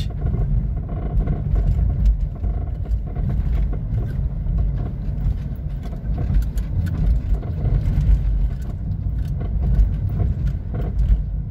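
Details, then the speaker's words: VW Gol G5/G6-type car rolling over bumps: sharp little knocks over tyre and road rumble. A tie rod end, stabilizer link or steering axial rod is suspected; there is no steering wheel vibration. "isso aí pode ser terminal de direção Pode ser bieleta né tem que verificar pode ser a barra axial da direção"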